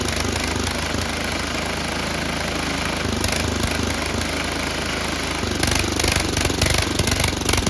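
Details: Tecumseh HM80 small single-cylinder engine on an MTD Snowflite 8x26 snowblower, just after carburetor replacement, primed, possibly needing tune-up: runs at fairly steady speed with a rapid beat, then picks up revs near the end.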